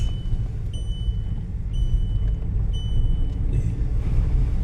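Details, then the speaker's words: VW Polo with rough idle, vibration and EPC light, traced to oil in a spark plug; after replacing the plug the light is gone and the engine pulls uphill under load with a deep, even rumble and no stumble or shake. "The problem was the spark plug that had a oil in it, so we changed the spark plug. Now the car is performing."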